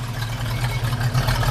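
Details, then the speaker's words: 1965 Ford Mustang, fresh rebuilt 289 V8 with 4-barrel carburetor and dual exhaust, heard from tailpipes: deep even rumble with steady firing and slight rise in revs; idles and revs cleanly. "Got a little wrap to it, you know. Yeah, it sounds good."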